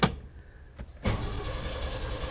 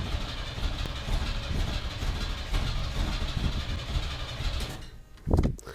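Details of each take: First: 1991 Chevy S10 Tahoe, new starter after a wrong one, coil wire disconnected so it won't start: click, short pause, then smooth cranking with no grinding or thumping; right starter fitted. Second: 1991 Chevy S10 Tahoe after starter replacement, coil wire reconnected: steady even cranking for several seconds, but the engine doesn't catch; crank, no start.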